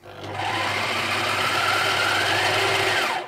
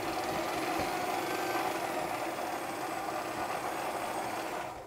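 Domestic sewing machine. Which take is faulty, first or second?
first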